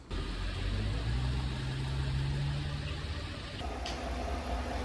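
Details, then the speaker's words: GMC Sierra V8 truck after cylinder 1 misfire traced to faulty cylinder deactivation lifters and repaired: steady low idle rumble with no knocking or ticking, working 100%. "ya vemos la troca la cam trabajando bien al 100% o cilindros debe ser"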